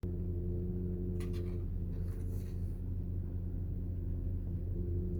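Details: Porsche PDCC roll-control system (Cayenne, Panamera, 911): steady low droning hum with a fixed whine from the radial-piston tandem hydraulic pump; normal pump character, nothing broken.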